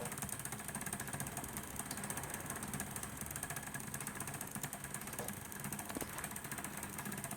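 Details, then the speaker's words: P2 Cock O' North model locomotive, recorded close up with cover off: fine rapid ratcheting rattle over light mechanical whir; owner suspects worm drive not engaging or wrong thread pitch. "it sounds like that that Worm Drive is not engaging or is it the right pitch of the screw thread on the Worm Drive of the gear below"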